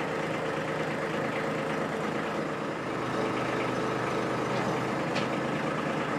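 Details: Kubota B2601 diesel tractor at 50 hours, after its 50-hour service with new hydraulic and HST filters: even diesel clatter that dips briefly as the hydraulics are worked and load it, then recovers; runs clean and healthy.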